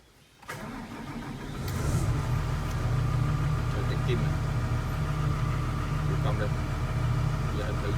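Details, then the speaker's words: Doosan DX140W diesel after a hard-start repair (before: long cranking, fuel pressure only about 150 kg/cm²): brief crank, fires within half a second, then settles to a steady, solid idle. Normal quick start. "Sau khi sửa chữa xong, rồi đề rất là nhanh nổ."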